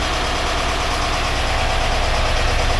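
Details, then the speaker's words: 1982 air-cooled VW Vanagon Westfalia, restored engine running after starting problems were sorted; even, settled idle with a regular low thrum, no ticking, grinding or stumbling. Oil pressure light out, charging at 14 volts. Healthy normal idle. "very well running pretty good now don't let it warm up good and we'll see what happens"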